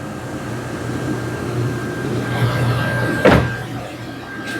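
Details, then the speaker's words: 2005 Honda Pilot idling after alternator replacement and a 70.5 in belt bypassing the noisy AC compressor hub bearing: steady, even hum with no belt whine or bearing growl, one door clunk; alternator whine and AC noise gone. "No more noise from the alternator."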